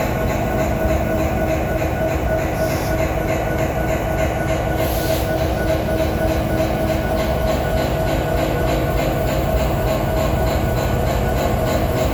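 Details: Abnormal, fairly even knocking of about three per second over a deep diesel rumble from a BNSF SD70ACE locomotive #9158, source unknown.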